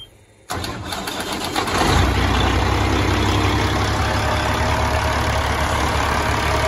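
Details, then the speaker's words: 1999 Peterbilt 379 with recently overhauled Cat 3406E 2WS diesel, no active codes: quick crank catches at once, settles to steady even idle without knocks or misses; normal start and idle, engine runs and drives fine. "And uh it starts and drives and runs runs fine."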